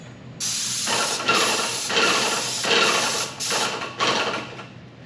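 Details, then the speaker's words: Paint sprayer with a new tip and shield: sharp bursts of hiss, each about a second, starting and stopping with the trigger; a clean, even spray, unlike the earlier sound. Normal spray hiss. "so they say with the tip blown out you can hear a lot of hissing [Music] and this is certainly a major sound difference than what it's been sounding like"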